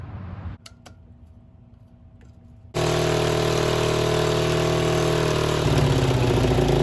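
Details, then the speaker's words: 50cc Chinese mini ATV revival fitted with a throttle cable from an old Yamaha three-wheeler, idle set high. It catches and runs with a fast buzzy beat that wavers as revs shift; it runs but not cleanly and leaks a lot of fuel. "alright so we got this thing running it doesn't run the greatest but we'll tackle that later"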